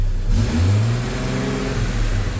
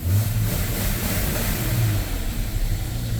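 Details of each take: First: Jeep Comanche after engine reassembly, first run, possible coolant drips from new freeze plugs smoking: revs climb and hang instead of dropping to idle; sticky throttle cable needing lube. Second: Jeep Comanche started after two years sitting, once the wrongly set distributor was corrected: catches and runs steadily with a firm low drone, revs climbing smoothly with no misses; normal running and revving.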